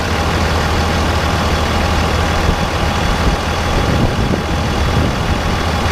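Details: 2001 Dodge 24-valve Cummins diesel at idle before installing a Banks Ram Air cold air intake: even, deep clatter with hardly any turbo whistle from engine or exhaust tip; healthy idle.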